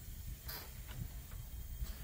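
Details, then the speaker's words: Leakdown test on a 250,000-mile engine: faint hissing bursts of escaping air over a low rumble, not heard from exhaust, leaking somewhere untraced. "I don't hear it from three I don't hear from the exhaust hang on it is leaking out somewhere"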